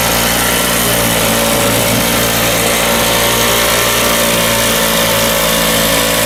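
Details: Circa-1980 Flymo two-stroke lawnmower, unused about 10-20 years, after carb cleaning: high buzzy note holding steady speed without stumbling or cutting out; running cleanly.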